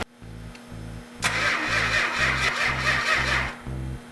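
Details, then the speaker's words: 1971 Dodge Challenger R/T 440 with original six-pack carbs: the starter churns in even pulses with oil pressure and the fuel pump on, but the engine never catches. There is no spark, blamed on a faulty ignition coil. "the fact that the 440 didn't fire right off is because of a faulty coil"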